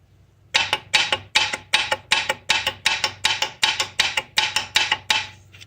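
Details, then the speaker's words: Toyota Celica 1ZZ-FE engine, 225,000 miles, hard-driven, rod bearing failure on cylinder one: sharp metallic clacks, about 13, as the loose connecting rod and cap are rocked against the crankshaft, showing rod knock. "that's what you hear when you have a rod knock while the engine is spinning rod the rod and the capper beating up against the crankshaft"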